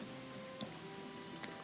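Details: Whirlpool gas oven set to bake at 350: spark module gives sharp isolated clicks, about three in two seconds, but bake burner never lights; broil burner works, so igniter or spark module suspected.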